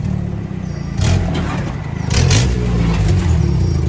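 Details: Toyota 22R four-cylinder with exhaust leak: low puffing chuff growing louder and sharper with each rev.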